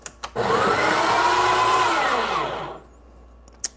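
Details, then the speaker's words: Breville Barista Express espresso machine's built-in burr grinder grinding about 18 g of coffee: a steady grinding roar with a thin high-pitched whine on top for about two seconds. The owner thinks the whine is normal. "do you did you know that high pitched sound i think that's normal"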